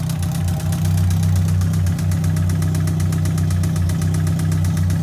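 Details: 2003 Yamaha R1, 31k miles, push-started in 2nd gear because of a bad starter: fast, loud knock about four a second from the top of the engine at idle, louder with each throttle blip; owner suspects the engine needs a rebuild, cause unknown.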